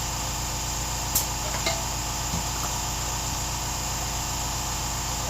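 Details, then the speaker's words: 1995 Yamaha XV1100 Virago front tire replacement: steady hiss of air inflating through the valve stem with three or four sharp pops over a couple of seconds as the bead seats on the rim. "your be is reset now"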